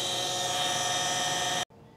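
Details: Pentair/Sta-Rite Dura-Glas in-ground pool pump with leaking seals: high, steady motor whine with a hissing edge that cuts off sharply when switched off; motor running loud.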